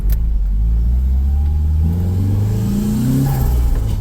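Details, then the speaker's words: Nissan SR20DET turbo four being fixed for long-standing low power, short parking-lot test drive with fuel-line barb fitting barely holding: engine note climbs smoothly and pulls cleanly under light throttle, no stumble or hesitation; normal acceleration, test deemed a success. "Just gonna give her the beans a little bit, ever so slightly."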